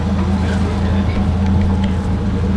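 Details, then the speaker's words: 1947 Chrysler Royal at idle after repairs, much quieter than before without touching the throttle, in damp conditions; low, even burble, steady with no knocks or misses, idling smoothly and quietly. "hard oh it's so much better it used to be like now it's like okay that's that's amazing that's how it should run"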